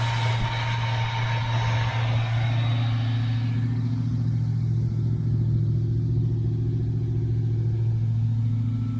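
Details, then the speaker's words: 1982 Chevy El Camino, V8, carburetted, dual pipes: smooth, even idle with steady low drone, no stumbles or knocks; idles perfectly now, though owner says it sometimes dies after running a while, suspects the carburetor. "but it has a hard time right now it's idling perfect you would think the car is perfect"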